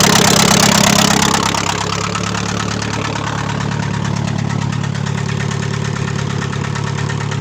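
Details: Chevrolet Aveo at idle with a regular light knock about twice a second in the engine; owner hears a knock in the motor, cause not determined.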